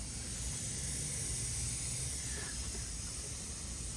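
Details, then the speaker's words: CDL Class A truck tractor not started in over a year, engine off: strong, steady high-pitched hiss of air escaping continuously from brake lines up under the truck; sizeable air leak, exact source suspected but not confirmed. "you could definitely hear that thing yeah that's coming from right up in there somewhere right up in there damn it's coming out pretty good"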